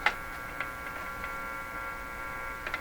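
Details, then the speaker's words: Crosley G2465 two-band radio on first checkout with no antenna: a steady low buzzing hum with faint ticking; owner suspects the capacitors have not been replaced. "typical kind of hum you hear from a radio of it maybe the capacitors haven't been done in here"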